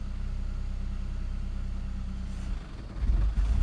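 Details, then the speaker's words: 2002 Saab 9-3 SE after head gasket replacement: the engine bogs, then revs with a delay and repeats, regardless of pedal depth; an uneven rumble that sags and surges, with rpm dropping to about 500, lights dimming and stalling. "so it's when i give it gas it's bogging down and it's revving like it's a delayed rev yeah so it's bogging and then rev and it repeats that over and"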